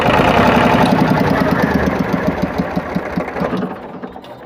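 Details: Powertrac tractor diesel after water pump repair; steady clatter about 220 beats a minute, slowing as it winds down, no whine or grind from the water pump; earlier pump noise is gone.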